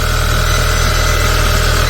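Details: 2.0L turbo petrol car, jump-started barely with UMAP 12000 jump starter, at 22-23 °C: steady low engine hum at idle with even rhythm and faint high tone over it; running smoothly after start.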